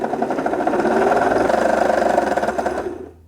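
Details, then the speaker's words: 1974 Singer Genie 354 sewing machine after servicing, winding a bobbin: a fast, even rattling whirr at about 3.5 beats per second that then spins down; the bobbin winder rubber is worn and noisy and should be replaced. "yeah the bobbin winder rubber you can hear it's quite noisy i probably should have replaced that while i was in there"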